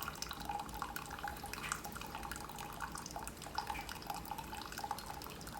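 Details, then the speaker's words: Keurig Supreme after a reset, 10 oz brew; steady trickle and drip with faint pump hum and occasional gurgle as air clears the lines; brewing normally. "I've got water going through pump is on everything appears to be working just fine there's a little bit of air in the lines that's getting worked out"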